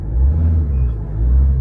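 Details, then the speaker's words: Ford Ranger 3.2 diesel with an electronic pedal, checked for low power and vibration: a deep, steady rumble that swells quickly with each throttle blip and settles back cleanly. Throttle response is normal. "Makita mo yung galit ng makina guys pag inapakan mo yung accelerator pedal."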